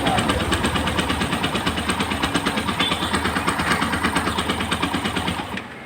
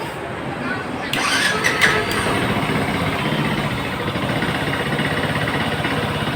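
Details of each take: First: Yamaha FZ-S V2 that will not start, with compression still short. Light, quick, even cranking beats run for about five seconds without firing. Low compression forces repeated use of the starter and hurts pickup. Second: Yamaha FZ-S V2 after engine and cylinder rebuild for low compression no-start: fires on first press, catches cleanly, settles to steady, even single-cylinder idle around 2000 rpm, no misses or knocks; normal start and idle.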